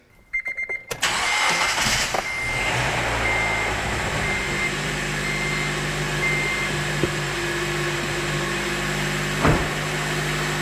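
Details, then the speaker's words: Honda Element with a replacement engine, first start after installation: starter chatter, a quick catch and a brief flare, then a smooth, quiet, steady idle with no knocks and no visible leaks. Healthy. "started right up you can definitely tell it wants to live looks good sounds good i don't see a drop of anything coming out of it maybe i did it i did it that is smooth quiet and happy"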